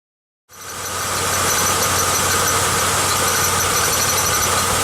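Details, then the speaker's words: 1995 Pontiac Grand Am idling: light metallic rattle and squeak, worse with headlights, defroster or brakes adding load, first thought an alternator bearing but actually a temporary coat hanger supporting the catalytic converter; cutting it off stopped the noise. "you hear that little rattle at first I thought that was the bearing in the alternator because when I would turn on headlights defroster anything that added load step on the brakes it would definitely start to rattle and squeak more"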